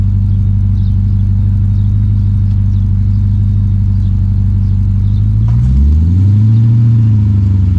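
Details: 2006 Dodge Magnum, center suitcase muffler replaced by two pass-through Magnaflow mid mufflers, tailpipes not yet hooked up: deep, loud, rough idle burble, then a quick rev that swells and falls back; raw open exhaust.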